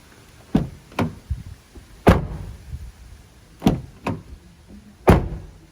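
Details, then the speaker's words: Firm, deep door thumps on a 2020 Toyota Tacoma, each dying away cleanly with no buzz or glass rattle; passenger front and rear doors sound solid, nothing weird, so no rattly-door flaw. "uh pretty solid let's go over here passenger side rear nothing weird there passenger front nothing weird there"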